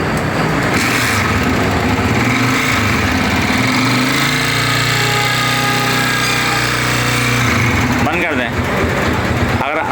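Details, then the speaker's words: Honda CG 125 motorcycle running before teardown: busy metallic clatter from the top end riding steadily over the engine; valves, piston and cam follower later replaced. "ये CG bike है। इसकी कैमरे में आवाज है। अगर आपकी बाइक में भी कुछ इसी तरह का शोर है।"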